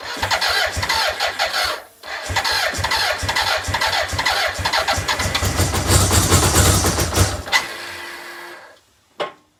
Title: BMW K100 no start 1